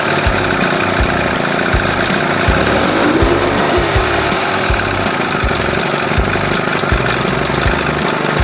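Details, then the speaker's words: 1981 Evinrude 20 hp outboard, warm, after powerhead flush and new thermostat and gasket to cure running cold; steady even two-stroke burble, no misses or knocks; best it has run, may need slight tweaking (earlier ran lean). "Well, don't sound too bad right [music] there. Little tweaking. Sounds good."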